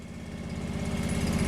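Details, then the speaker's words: John Deere 445 garden tractor with snowblower, unstarted for about 8 years, idling cold: an even, regular low putter, slowly louder. Oil light off so oil pressure is present, and it seems to be charging. Normal idle. "That sounds good. We got oil pressure because the light's off. And it must be charging."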